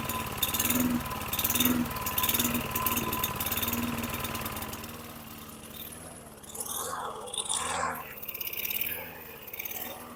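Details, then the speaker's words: 2009 Lawn-Boy RWD mower model 10642, 675 series engine, 20" blade: governor tab pulled forward to raise RPM, steady drone then exhaust note surges and drops out; engine cutting out at raised RPM. "You pull it forward, it puts tension on the spring. As I did, you can hear from the exhaust that it started to cut out."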